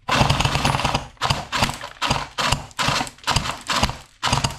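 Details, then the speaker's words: S&T M240B airsoft support gun on a 7.4 V battery, previously repaired elsewhere: bursts of harsh rapid cycling with ragged, uneven clatter; the gearbox internals are broken and BBs only dribble out, so feeding fails. "So, as you can both see and hear, this is not very well at all. This toy at the moment. It is sounding horrendous and the BB's are just dribbling at best out the front of it."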